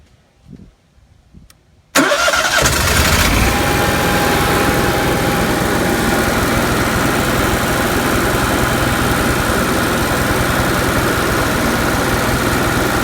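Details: Onan Marquis Gold 5500 RV generator (model 5HGJAAB) after fuel pump replacement for repeated stalling, central AC off so no load; short crank, fires at once and holds a steady even hum without surging; healthy.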